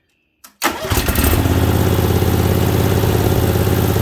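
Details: Second Briggs Vanguard V-twin, started on a test stand with the choke held up by hand. Cranks briefly, catches at once and settles into a steady, even mid-pitched run with no knocks or misses; healthy, normal running.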